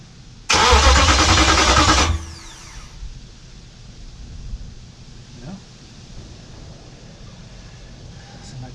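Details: Hemi V8 swapped into a 1998–2003 Durango/Dakota, first crank test after wiring starter and SKIM, ignition not yet working: starter spins the engine about 1.5 seconds with even churn but it never fires; crank, no start.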